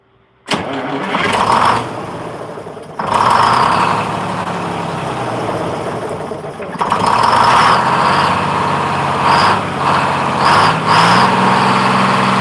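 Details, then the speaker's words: 1948 GMC Silversides PD3751 Greyhound bus, 6-71 two-stroke diesel, first start after in-frame rebuild, head primed with fuel, rings not yet broken in. Cranks briefly, catches at once, even steady idle, no misses or knocks; smoother than ever. "Runs smooth. Runs, that's smoother than it's ever started before, and it runs nice and smooth. I can hear the difference already."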